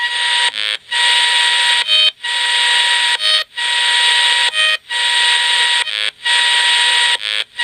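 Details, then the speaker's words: Desulfator fitted to a 24 V bank of four 125 Ah AGM batteries, picked up on a radio: steady high buzzing tone broken by short gaps roughly every second, an even repeating pattern; desulfator pulsing normally. "is definitely the desulfator as it was going the led so that's the desulfator there's other they come through pretty strong"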